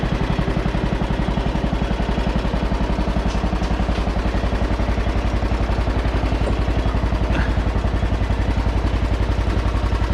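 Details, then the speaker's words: John Deere with 1,173 hours, possibly worn oil seals: even, steady thumping at about four beats per second with no knocks or misses. It runs smoothly and sounds good for its hours. "oh sounds good for having uh 1,173 hours on it"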